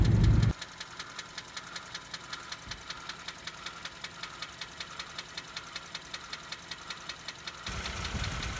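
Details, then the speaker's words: Kia engine, warm idle after valve lifter quieting treatment: quiet idle with light, fast, even ticking from the GDI high-pressure fuel pump, which is normal; lifters now silent, no lifter tap. "You are hearing a little bit of a ticking, but that's the GDI fuel pump on the Kia that makes that noise."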